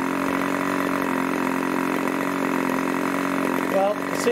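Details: Irvine 40 MkII ABC Schnuerle glow engine, 10x6 prop, 7% nitro/20% oil fuel, needle leaned after running rich: steady even buzz at idle just over 2,500 rpm, no sag or stumble, idling cleanly.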